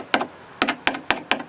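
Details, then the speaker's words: One-owner 1992 Ford F250 XLT, 460 automatic, 92,000 miles, taps under the passenger door: six crisp ringing taps like new bare metal, no dull or crunchy thud; solid panel, no rust rot. "you can just hear it's nice solid metal sound I mean if you had brand new bare metal and you hit it make the same sound"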